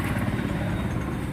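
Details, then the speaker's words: Mahindra Supro BS6 diesel, previously no-start with SCR fault codes; after reset and clearing DTCs the engine catches and idles normally with steady low rumble, even firing, no misses or knocks. Urea pipe later found fully burst. "अभी इसको start होना चाहिए। देखिए start कर दिया, start हो"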